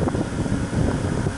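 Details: Minn Kota 70 lb-thrust bow-mount trolling motor after armature and brush assembly replacement (was lacking thrust), prop fitted: low steady hum, even, no grinding; runs smooth and healthy.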